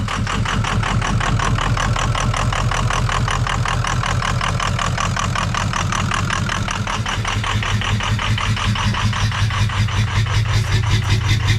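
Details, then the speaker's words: 2003 Ford F350 6.0 PowerStroke diesel just restarted after running out of fuel; chugs unevenly, about 160 lumpy pulses a minute, misfiring and stumbling — rough idle from air still trapped in the fuel rail. "Very, very unhappy. No telling how much air is still in that fuel rail."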